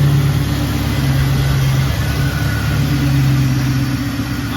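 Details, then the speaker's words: LS-swapped V8 that kept shutting off as if flooding, from excessive fuel pressure; after the restrictive return piece on the sending unit was drilled out: steady, even low idle rumble, no stumble; fuel pressure now 58–59 psi, normal. "Oh yeah, that's what you want right there, YouTube. 59, 58 pounds."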